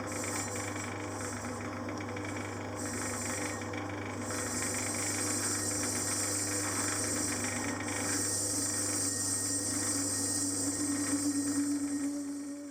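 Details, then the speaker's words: Lathe turning the table of a Hemingway Universal Pillar Tool kit: steady hissing cut with a mid-pitched ringing tone that swells toward the end, yet the finish stayed good; chatter-like noise while turning, cause unknown. "Now that sounded like chatter, but I was still getting a good finish, so I'm not sure what it was."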